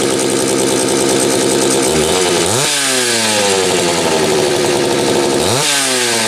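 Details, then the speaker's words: Homelite 330 chainsaw with few hours, after fixing a kill-switch ground wire broken by the factory crimp: crisp two-stroke buzz climbing cleanly on each blip and dropping back to a steady idle; healthy running, saw ready to go. "and there was a moment of truth i think this saw is finally ready to go"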